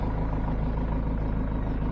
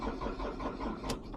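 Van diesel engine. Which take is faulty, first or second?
second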